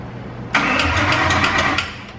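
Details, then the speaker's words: 5.2L Coyote engine swap, first crank after flashing a new tune, no coolant yet. Rapid ticking for about a second while cranking without firing: the chain tensioners clatter before oil pressure builds, and the noise went away once it ran. "the clicking was attention or so that's what we're hearing the tensioners and as soon as the car ran built-up oil pressure boom all that noise went away and it was perfect"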